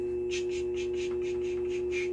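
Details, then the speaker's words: Faceting the crown of an amethyst oval on a diamond-impregnated lap, stone lowered until it barely touches. Steady motor hum with soft, even hissy skipping ticks about four a second; normal light cutting contact. "just until it barely touches that's what we're going to do and I know y'all can't hear it but there's a little skipping it's"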